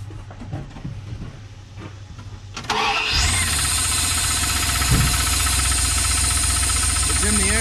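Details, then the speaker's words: Truck previously drowned, first cranking attempt: starts into rough idle with steady tapping about four times a second from inside the engine, not the fan; owner suspects piston or rod knock; spark plugs fouled, four new plugs going in. "I hear a knocking. Yeah, it is. But what's it knocking on? Sounds like a piston. That's a rod."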